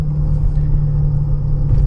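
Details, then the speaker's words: 2014/2015 Honda Pilot, on a hot day, while driving: steady low droning hum under the road rumble, louder when steering left, quieter right; driver's side wheel bearing suspected, earlier mechanic suspected VTM transfer case. "so on a bearing anytime you pull to either side increasing noise level okay that would lightly the bearing yeah so on this right here i would say that the driver's side bearing"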